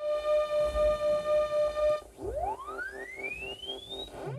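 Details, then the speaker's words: Commodore 64 SID chip run through a SID test program isolating voices: tones pulse about four times a second, then a rising sweep, with stray extra tones buzzing underneath; faulty SID, confirmed by a replacement chip sounding clearer. "there's definitely additional sounds that shouldn't be there"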